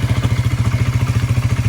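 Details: Honda CBR 125 with a battery-not-charging fault, running for AC-voltage stator output tests with a few revs (voltage drops as revs rise, stator suspected): small single ticks over evenly at roughly twelve pulses a second, crisp and regular; the engine itself sounds healthy.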